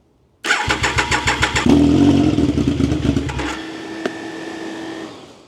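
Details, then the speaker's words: Project Triumph Daytona 955i, three-cylinder, first start: several cranking pulses, then it catches and runs rough and uneven before fading, with the fan whirring. It is misfiring, and the owner suspects the injectors need cleaning. "Okay, so now it's not getting through again. >> It could be that the injectors aren't doing their job."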